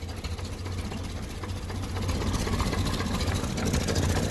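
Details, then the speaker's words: 1957 Ferguson 35 TVO tractor, started on petrol until hot: steady low chuffing idle with faint puffing blow at the back from an exhaust leak, plus a slight spitting misfire owner blames on weak spark, new coil awaited. "yeah it's still blowing a bit at the back there and you can hear a bit of a missing"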